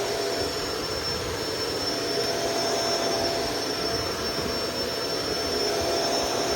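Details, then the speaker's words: Shark Rotator DuoClean Powered Lift-Away vacuum running on carpet; steady, even motor roar with a faint hiss and no strong beating, weak brushroll agitation, presumed due to the soft roller. "So, all right, let's run this stupid thing just to get this over with. It does have headlights, but so do my pistons. Yeah, you can hear how little agitation that has."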